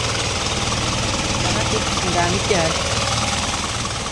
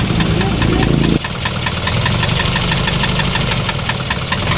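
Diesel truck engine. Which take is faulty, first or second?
second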